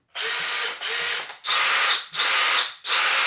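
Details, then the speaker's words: New Milwaukee M18 brushless drill/driver on a fully charged battery, running free and louder than the Makita: repeated short bursts, each a high steady whine that the owner attributes to the internal fan catching air. Clean and even. Normal free-running whine. "I think that's me I think that's the fan inside of here the way it catches the air it makes that noise"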